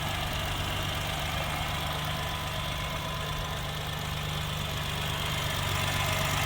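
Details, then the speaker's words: 1988 Suzuki Jimny 550cc turbo at idle: light, steady ticking about four per second over an even idle; normal valve noise typical of this Suzuki engine. "um if you're wondering about that ticking thing that sound it's a suzuki thing it just every they all sound like"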